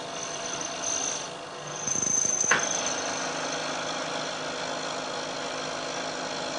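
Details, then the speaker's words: Milling cut at the same depth as before, but now using a laminated plate with welded layers whose sliding friction damps vibration: after a brief clatter the cut runs as a steady, even hiss with no chatter, giving a better finish. "I'm taking a cut this time roughly equal depth to the cut I took before you'll hear that there's a very big difference in a noise produced especially as the cutter gets out towards the end of the part"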